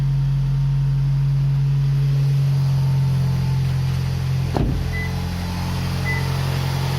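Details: Toyota RAV4 2.0 1AZ-FE after engine rebuild for connecting-rod knock at 2200 rpm (new timing chain and guides; chain and camshaft replaced earlier didn't cure it): smooth, steady even idle with no bottom-end knock, running cleanly.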